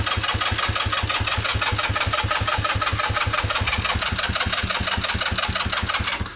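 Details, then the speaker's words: ZY6 scooter, choke on, battery not charged: the starter churns about three compressions a second for six seconds without catching. Crank, no start, no spark because the kill switch works in reverse (on is off). "And then also I remembered that with this bike, On is off and off is on. So we didn't have a spark because of the switch."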